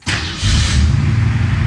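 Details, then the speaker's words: Car after major repairs, with the dash and gauge cluster temporarily fitted and the motor and transmission still to be sealed. Brief crank, then it catches at once and settles into a deep, steady rumble; a clean, healthy start. "Woohoo. She sounds really good now."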